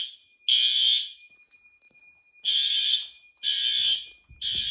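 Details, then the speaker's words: Monthly fire alarm test: horn strobe gives loud harsh high-pitched blasts of half to one second, repeating irregularly at very high volume; checked good, sounding normally. "That guy's good. That guy's good. I know they don't like to show up on camera, but"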